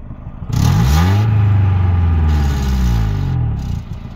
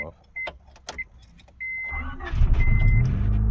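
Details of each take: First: 1991 Honda Civic RT4WD EF wagon that burns oil, driven while trying to make it overheat (it doesn't, no white smoke). Revs rise and fall through the gears with an uneven stumble under load, a light misfire; owner suspects an AC line pulled a distributor plug wire. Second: 1991 Honda Civic RT4WD EF wagon, not started in months since winter, on a new battery; it has a history of overheating and coolant bubbling and burns oil. It starts right up and idles smoothly with no clatter under the seatbelt chime.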